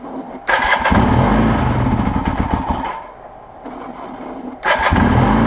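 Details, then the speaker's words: 1980 Kawasaki KZ LTD440 after rebuild, on starting fluid with choke: rough, uneven running, surging and sagging with lumpy, chugging firing; struggling to keep running, not running on its own fuel. "i can't imagine all of that it's chugging a little it kind of wants"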